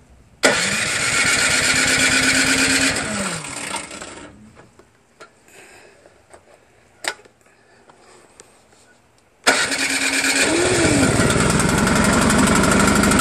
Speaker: Alright, that was it. Looks like it worked great now.